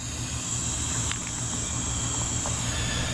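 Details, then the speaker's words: Permobil C300 power wheelchair wheel fitted with Michelin S83 moped tire: thin steady hiss of air escaping over a low rumble after the inner tube was pinched while flipping the tire around. "so I was flipping it around and I pinched the tube hear that hissing"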